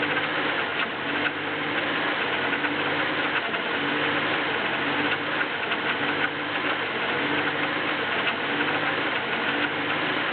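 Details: BMW E36 318is, M44B19 petrol engine, cold start: busy metallic clatter at idle, with rpm hunting between 1000 and 1500; cause unknown.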